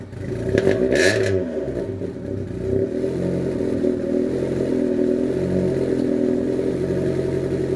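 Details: Honda Civic EF project car, first start after trailing arm and bushing work with battery refitted: quick crank, catches and settles into an even, steady run with a few light blips; starts and runs fine.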